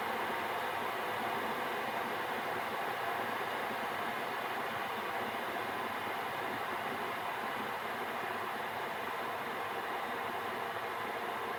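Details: Gearlasso 8kW 12V/24V Chinese diesel heater in manual gear mode after switch-off: burner and pump stopped, burning off residual oil; steady even airy whoosh, no burner roar or pump ticking, fan cooling it before standby; normal cool-down fan run.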